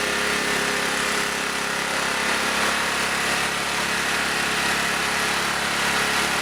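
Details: Auction generator at no load, low on gas, being set to a little over 60 cycles: holds a fast, steady buzzing speed and never drops back; runs too fast with the idle stop screw fully in.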